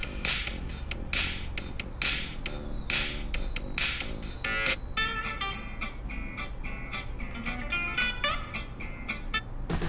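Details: MacBook Pro speaker that crackled on bass-heavy music, after repair: music with a steady beat plays clearly, thin in bass but free of crackle; clean speaker playback, no distortion.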